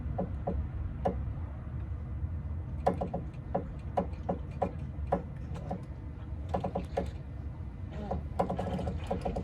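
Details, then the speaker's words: Mazda Tribute/Ford Escape supported on wooden blocks with the wheels off the ground; turning the steering wheel left and right brings irregular dry creaks and clicks. Steering noise, source not yet pinpointed. "I'm going to go inside the car and turn the wheel to the left and to the right so that you can hear the creaking sound whenever you turn left and"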